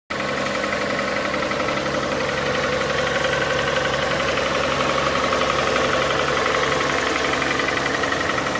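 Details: Hyundai Santa Fe 2.7 engine knock when cold: at cold idle a steady ticking knock about four times a second over the engine; source unknown.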